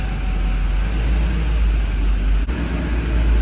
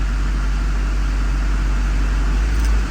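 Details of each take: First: Duramax diesel truck with recurring fuel problem, after new fuel lines and bleeding, check-engine light on: heavy low idle with an uneven, loping beat and stumbles, running worse; owner suspects air in the lines or the fuel filter head. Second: Duramax diesel truck at cold idle after sitting, following new fuel lines with rail pressure now matching desired 5700; deep, steady, unbroken rumble with no knock or stumble; normal cold idle.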